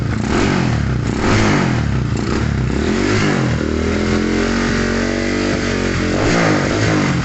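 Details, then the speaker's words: Modified Yamaha Scorpio motorcycle that kept dying, black fouled spark plug replaced: uneven lumpy idle with fast light ticking; suspected cylinder wall leakage letting oil burn in combustion chamber. "sehingga terlihat dari mesin hidupnya pun ngeletek tek tek tek tek tek itu teman-teman ya tek tetek sehingga pun sudah pasti sudah dipastikan terjadi Jadi ke kebocoran di mesin"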